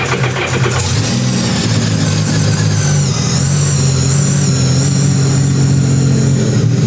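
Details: Mini jetboat first start at about 60 degrees, engine never run before: fires promptly and settles into a steady, even idle with a smooth low hum, no misses or knocks. Normal idle, healthy.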